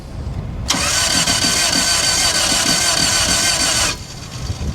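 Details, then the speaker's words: Toyota on a salvage auction lot, run-and-drive with booster pack attached: starter spins about three seconds with a slightly uneven chug-chug rhythm and never catches; uneven cranking, no start, sounds like uneven compression between cylinders. "where's that toyota ding ding ding well we didn't get any ding ding dings but that sounds like uneven compression"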